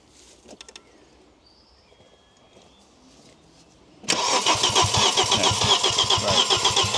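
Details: Audi RS2 (315bhp 5-cylinder) barn find, abandoned outdoors for years: steady starter cranking at about four beats per second with no firing. Fuel pump works and holds pressure; wiring is suspected, not confirmed. Cranks but won't start.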